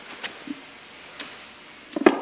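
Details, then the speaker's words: Arduino-controlled latching solenoid valve on a 12 V supply, actuated open and closed repeatedly with water running through: crisp single clicks about a second apart; normal solenoid valve switching. "Okay, now it's actuating the solenoid. Opens, closes, opens,"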